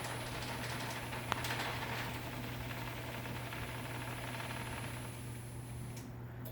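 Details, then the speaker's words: 2013 Genie Excellerator DC screw-drive garage door opener on a standard Genie AC screw-drive rail: steady low motor hum with a faint irregular rattle as the door runs down slowly and quieter; normal running with slight rail chatter. "it's quieter on the way down because it runs slower you can hear a little bit of rail chatter but it's not that much"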